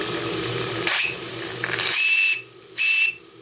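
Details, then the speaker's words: Stuart D10 live-steam engine at 2 bar after pump repair: three sharp bursts of a clear high whistle over steam hiss, each starting and stopping cleanly; whistle works properly. "Et bien mon sifflet fonctionne en plus, donc j'ai 2 réparations pour le prix d'une."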